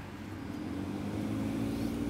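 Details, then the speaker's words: BMW air-conditioning blower at maximum after cabin filter replaced and snagging fan blade fixed: even fan hum rising slightly, no scraping or ticking; some inherent noise remains but much less than before. "esse barulhinho é dela então, mas tá a bem hélice, menos que antes. A hélice tava enroscando. Tá bem menos que antes mesmo."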